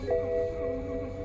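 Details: BMW 528i that would not start, battery power restored and dash lights on: a single soft bell-like chime fading out with no engine running. Warning chime during no-start.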